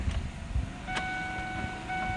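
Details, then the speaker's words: Small automatic-transmission car at the Valmet Automotive Uusikaupunki factory, 2010, heard from inside: steady tones near 750 and 1500 Hz signal the car is running, over a soft ventilation fan hum. Normal. "Tämä ääni vain, no se vaan ilmoittaa, että meillä on niin auto käynnissä ja hurina tulee sitten tietenkin ilmastointi tai tästä tuuletus, tuuletuslaitteistosta."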